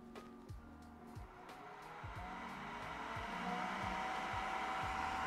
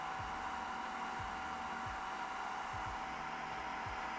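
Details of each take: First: Creality K1 3D printer side part-cooling fan running with a redesigned baffle muffler (noise down from about 67-68 dB to about 63 dB): steady high whine that wavers and drops as the restriction loads it; fan starting to struggle. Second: Creality K1 3D printer side part-cooling fan, measured at about 67–68 dB total before muffler and baffle mods: a loud, steady high-speed blower rush with a fixed upper-mid whine. The fan is healthy but noisy.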